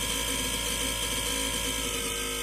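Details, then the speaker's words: BOMA inrunner motor freewheeling with soft-start ramp at 72 V (up from 60 V), heatsinks added, not getting hot: steady high motor tone with a faint fluttering, stuttering rattle underneath at constant rpm; cause unknown. Intermittent stuttering noise. "you hear the regular motor tone and there's that other sound underneath it right there you can really hear it"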